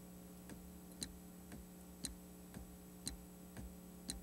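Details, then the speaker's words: Audi output check test, code 4343: the carbon canister shutoff solenoid clicks crisply about once a second over a low hum when the full-throttle switch is pressed, showing it is switching normally. "carbon canister shutoff solenoid over there okay it should click when we push the full throttle switch again"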